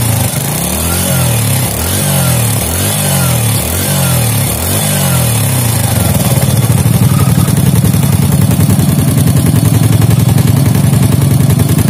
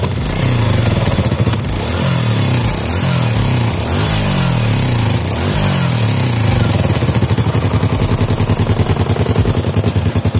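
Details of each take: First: Fit-X New motorcycle after worn rocker repair, valve clearance set normal. Revs rise and fall, then steady idle with a faint quick tick as the cam closes; a worn cam lobe lets the rocker go slightly loose; valve-train tick. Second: Fit-X New motorcycle after a repair for rough running: it revs cleanly and is no longer rough, with light popping when throttled caused by a leak at the exhaust port.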